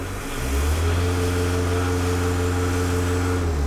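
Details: MK1 VW 1.6L turbodiesel holding steady high revs: slow, uneven surging swell in the drone, boost pulsing as the VNT turbo vane control actuator hunts.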